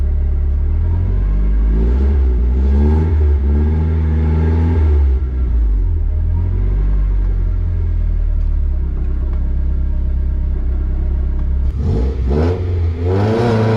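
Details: Nissan S14 with SR20 engine and manual gearbox, driven after gearbox repair: pulls cleanly through rev rises and gear changes with no whine, grind or rattle; gearbox quiet, earlier noises gone.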